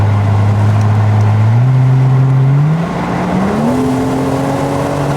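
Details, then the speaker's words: Porsche Boxster 986 S bought from salvage auction, road test with manual-mode gear changes: strong even pull, engine note climbing cleanly through gears with crisp shifts, no knocks or rattles; healthy engine under acceleration. "Oh yeah, it's plenty quick enough, isn't it? It's there, yeah. Does exactly what it says on the tin."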